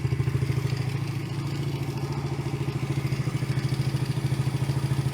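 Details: Yamaha TT-R110 single-cylinder, year unknown, after idle speed and idle mixture screw adjustment: steady thump about 200 per minute, even and settled with no hunting or misses; idle sounds right.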